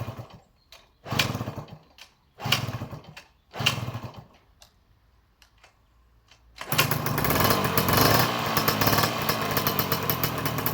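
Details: 1984 MTX 50cc two-stroke, first start with a homemade exhaust from a 2004 Conti CHR: a few sharp kicks with short bursts, then it catches and runs with a raspy busy buzz; some cylinder leaks noted.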